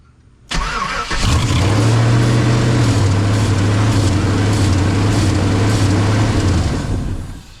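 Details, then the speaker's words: Chevrolet Silverado after an ignition switch replacement, its fuel pump not kicking on: it starts on carb cleaner and runs a loud but fairly even idle for several seconds, then dies. Runs only with carb cleaner; the fuel pump relay is to be checked next. "So, it runs. It doesn't run bad. It's a little loud, but it's running. It see sounds pretty good, actually."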